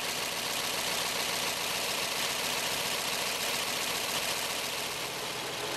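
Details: 1917 Cadillac convertible, original except engine fully rebuilt in the 1960s, warming up: steady, even idle with a smooth hissy run, no knocks or misses; healthy.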